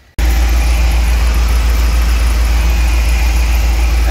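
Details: 1999 Isuzu NPR cabover with small-block Chevy 350 V8, started after sitting a while: deep even idle with steady low rumble, no misses or knocks; normal idle.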